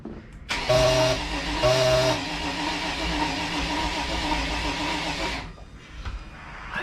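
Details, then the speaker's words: Crusader 454 marine engine that sat for a long time with water-contaminated fuel: cranks steadily about five seconds and nearly fires once but won't run. Gasoline is pooling in the throttle body, so low compression is suspected. "And I think we have a low compression situation because we've got gas."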